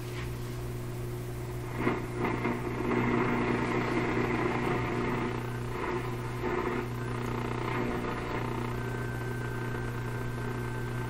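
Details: 1930s Canadian Rogers Majestic 4511 tube radio under inspection, tuned to noise with a loop antenna: a constant low buzzing hum under faint static that is independent of volume. Almost certainly weak power supply filtering.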